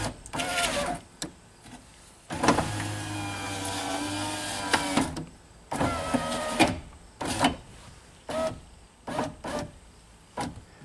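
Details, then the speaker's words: 2003 Pontiac Sunfire driver's window after window regulator replacement, tested running up and down: smooth, even whir in short bursts with no grinding or binding; the window motor sounds healthy. "didn't hurt that time sounds like a nice healthy motor"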